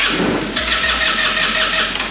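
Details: 2008 Taotao scooter, start attempt on choke cleaner: sharp catch and brief rough burst of firing fading within two seconds; fires but won't keep running, likely fuel-starved (suspected).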